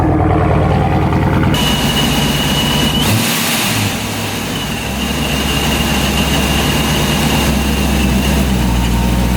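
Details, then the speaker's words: ProCharger-supercharged car idling after cold start, owner worried about tune: steady even idle, smooth low rumble with faint belt-driven supercharger whine, no misses or knocks; normal idle. "okay so that was fine it started up just fine that time minute it's burning like a kitten"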